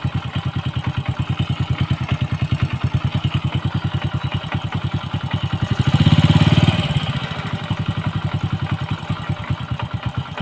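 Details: Honda Wave 100 motorcycle after fixing a noise from a worn one-way (starter clutch) bearing; even single-cylinder putter at idle, about three firings a second, brief throttle blip, no rattle. Normal.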